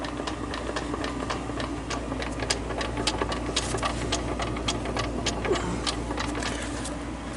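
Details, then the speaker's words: CD009 manual transmission, input shaft rocked back and forth by hand: light irregular clicks and rattles each time; shaft has some play, input shaft bearing suspected, to be inspected by removing the adapter plate. "I was thinking the input shaft could be could be bad, but uh it honestly I mean it moves but not as bad as I heard online and it's not can't hear no noise. There's that when you go back and forth."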